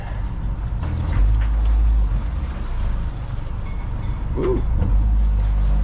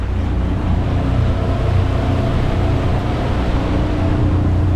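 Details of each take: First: New plug-and-play outboard on a Gemini 3200 catamaran, first run in gear: steady low drone under load never climbing in pitch, won't go much over 3,000 RPM; owner unsure the reading is correct, cause unclear. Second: New Suzuki outboard on a Gemini 3200 catamaran under way at about 3/4 throttle, 8 mph: steady, even, quiet low drone with no misses, knocks or surging; smooth, healthy running.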